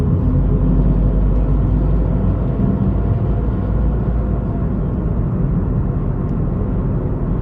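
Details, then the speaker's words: Tata Tigor BS6 three-cylinder petrol engine heard in the cabin while accelerating from 2000 rpm in third gear, 38 km/h, AC off; steady deep even drone, no knocks or whine, healthy. "the ac is turned off this is what the sound you'll get inside the cabin i'm gonna raise the acceleration"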